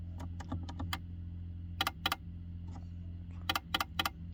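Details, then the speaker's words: ACL Lifestyle heating programmer/timer switching hot water mode on and off: clusters of sharp clicks and ticks over a steady low hum; abnormal clicking noise when switching, cause unknown. "so this is Asia lifestyle programmer and you can hear the noise coming out from the program off and on hot water mode please make noise"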